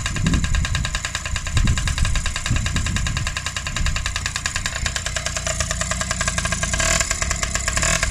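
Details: Freshly rebuilt Honda QR50 two-stroke started outdoors in the yard, oil topped up, little petrol in, new carb fitted: crisp, rapid, steady buzzing beat with a small rev blip near the end; normal running.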